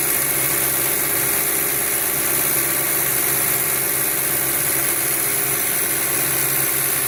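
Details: 2007 VW Passat 2.0T at steady, even idle: loud hissy, rattly top end that never changes; the engine is loud but the cause is unknown.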